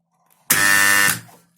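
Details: 220 V electromagnetic contactor gives a harsh, loud buzz with a rattly edge when switched on, tested on the bench. Its core laminations are badly rusted, the suspected cause. Cleaning did not cure the coil hum.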